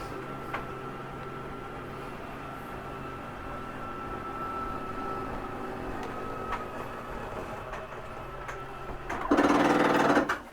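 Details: Whitehawk 32KBS slide-out retracting: steady electric motor hum with an even tone, then a brief louder grind as the slide reaches its stop; normal slide retraction.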